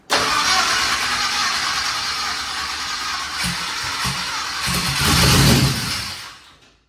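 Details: Twin turbo Nova engine after flipping the reversed coil wiring on one bank: catches and settles into a loud, steady run with even firing, now on both banks and healthier, though idle air-fuel is still untuned.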